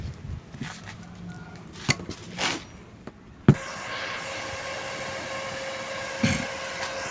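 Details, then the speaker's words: Blackfoot 350W/120A welder after repair, outputs measured 22 V, 14.8 V, about 60 V DC: click then steady even whoosh of the cooling fan; normal. "oke n Itu kipasnya kedengaran teman-teman ya"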